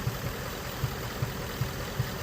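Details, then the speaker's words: Ford Mustang GT 5.0 Coyote V8 idling, codes P0302/P0316, cylinder 2 misfire; cause unfound; dull thump about every 0.8 seconds, a regular stumble of one cylinder dropping out. "Bueno, estamos aquí con un Ford Mustang del año 2017 5.0, un conocido Coyote, tiene un Miss Fire en el cilindro dos y voy a mirar el tiempo del motor."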